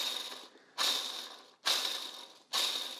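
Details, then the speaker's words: Subaru EJ205 turbo DOHC engine during reseal, timing-belt idler pulley removed and hand-spun: gritty, rocky grinding over about three spins fading out, among the worst bearings. Worn idler pulley bearing. "You can hear there's a lot of, I don't even have to get that up to the mic. A lot of noise in that bearing."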